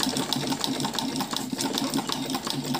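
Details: Sewing machine after oiling the needle bar and oil points, having stuck and run noisily before: quick, even clatter of the needle mechanism with a steady light hum, no binding or knocking; it runs free.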